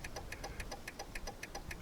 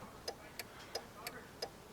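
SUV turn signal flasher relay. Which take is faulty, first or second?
first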